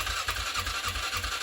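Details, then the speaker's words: 2007 Polaris Scrambler ATV, unused over 4 years, in neutral with starter fluid sprayed on the air filter: quick uneven firing pulses, five or six a second, that catch briefly then die; has compression and spark, owner suspects fuel supply. "So here I am spraying some more ether, some starter fluid on just the air filter, just to see if anything will go through to get it to fire over. And you can hear it actually did start, and then nothing again."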